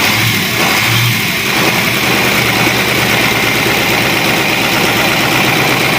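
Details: Cat 3208 starboard marine diesel after repairing the plunger and barrel, which had stuck from corrosion after 18 months idle: loud, dense diesel clatter with a steady, even beat and no misses or knocks. Normal idle.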